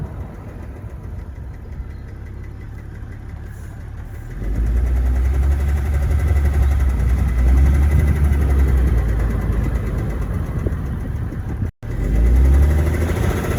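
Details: BMW 7 E65 M57N diesel at idle: deep regular low knock about three per second on the clatter; cause found to be worn rod bearing shell on cylinder 5 (injectors were also suspected).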